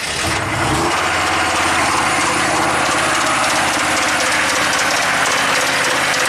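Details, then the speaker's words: Chevy 6.5 turbo diesel truck with PCM-commanded over-fueling and high rpm, original PCM refitted: under a high rev a rough, uneven metallic rapping in the diesel clatter. "what the heck that didn't sound good that's with the original computer"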